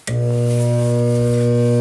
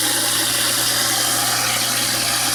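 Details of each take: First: InSinkErator kitchen garbage disposal switched on: loud, steady low mains hum with no spin-up; it turns freely with a pry bar, so it is not mechanically jammed and an electrical motor fault is suspected. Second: InSinkErator garbage disposal after repairing a hum, no-start fault: steady motor hum with rushing water and light even chatter of scraps being chewed; nice and quiet, normal operation.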